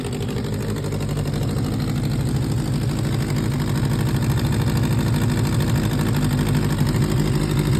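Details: 2004 Suzuki GSX-R600 idling: loud, raw puffing chuff over its low rumble, a major exhaust leak.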